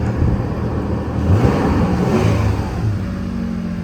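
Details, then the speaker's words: 2008 Toyota Tacoma 4.0L after jumping the failed resistor connector leads with wire: engine catches and holds steady even running with low rumble; runs normally, resistor was the fault. "Wow. So it's fixed and running. And that was it. This resistor here."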